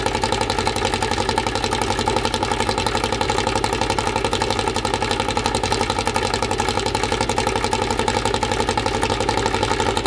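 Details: Freshly assembled 2054 engine on its first start after nearly a year of building, carbureted. An even, quick beat of about four pulses a second with a light gear whir. Normal fast idle.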